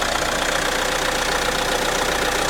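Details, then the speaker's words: Renault 1.6 four-cylinder diesel at a settled idle after a cold start from sitting: even, steady clatter, typical diesel/tractor sound yet quite refined, no misses or knocks; very little exhaust smoke, just humidity from cold weather. Normal diesel idle. "as you can see this is a Renault 1.6 to the diesel 4 cylinder engine and it sounds quite nice actually you can hear it's some the typical Diesel and tractor sound quite to refined actually"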